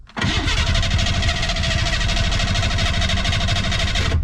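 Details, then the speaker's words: Ford Bronco II trail rig with known bad starter and ongoing run problems: steady fast starter cranking about four seconds without catching after briefly firing on gas dumped down the intake; crank no start from fuel starvation. "Well, it fired once. So was that a coincidence? Or was it actually a fuel issue?"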